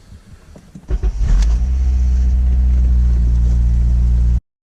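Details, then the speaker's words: Honda Civic Si (K20Z3) just after an oil change, started after sitting, engine-bay view: cranks, catches and flares to a fast idle with a faint rattle beneath; source unconfirmed, maybe the timing chain tensioner. "I'm gonna go ahead and see if the rattle is still there upon startup."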